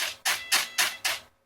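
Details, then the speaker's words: AR9350 receiver on a 6 V regulated battery eliminator from a 3S battery: touching or nearing the RPM sensor makes it shut down, restart and rebind, giving five quick buzzing servo jerks of the control surfaces. "As soon as I touch it, it shuts down and restarts, rebinds, and I'll touch it again so you can see."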